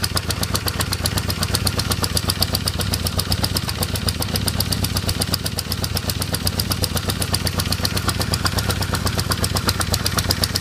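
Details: 1978 Honda CB550K four-cylinder motorcycle idles with a sharp, steady ticking, about four ticks a second, over its low hum; the owner cannot tell what the noise is or where it comes from.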